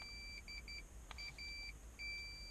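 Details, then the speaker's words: Nissan Altima airbag warning light: continuity tester beeps in short repeated bursts between driver airbag wire 28 lime green (positive) and wire 30 yellow (ground); harness shorted, wire likely damaged somewhere. "So this is the evidence that is shortening between the 28 and 30. Yeah, this should not happen."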